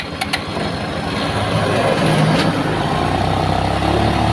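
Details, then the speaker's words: Rusi Royal GY6 scooter that stalled on the road, starting after its weak-spark spark plug was replaced with a new one. It fires up and settles into a steady, even idle with no misfire or stumble. It runs normally. "yung mga tropa at umandar na po siya, no?"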